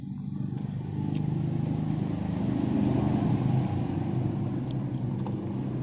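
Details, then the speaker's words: Yamaha Vega ZR single-cylinder motorbike after rebuild, bored oversize 100 and fitted with a standard Vario 125 piston (original Vega ZR pistons tended to knock); starts easily, steady even smooth idle with no knocks or misses; normal idle. "Hai hidupnya gampang terus suaranya juga halus lumayan yang suaranya Mayan"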